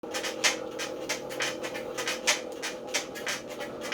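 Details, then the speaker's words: JLL IC300 Pro spin bike: a loud, harsh rhythmic rasping scrape about every two seconds as the flywheel turns, much louder than advertised; the source is not identified. "so this is the noise that the uh jl300 pro makes and as you can see it's extremely loud"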